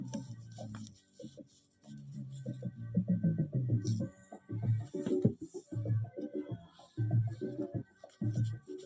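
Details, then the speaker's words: Sony 2200 W music system cassette mechanism after head cleaning: playback still dull and muffled with almost no treble, head not sitting in its proper place and loose, so frequency can't be set; cassette head misalignment persists. "मैंने इसका head भी बहुत साफ कर लिया। जगह पे नहीं आ रहा सही जगह से।"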